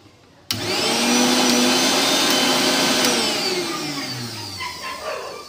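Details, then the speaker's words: Mixer grinder, previously dead, after repair via the rear reset: high smooth motor whine spins up instantly, holds steady without grinding or stalling, winds down evenly; normal running. "बहुत ही आसान तरीके से ठीक हो गया"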